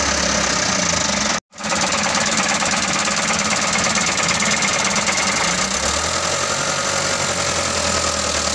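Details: Canter 125 diesel truck that was hard to start (starter motor smoking, no start), now idling after the injection pump was set and bled: even rattly diesel clatter with a low drone underneath, running but a bit rough.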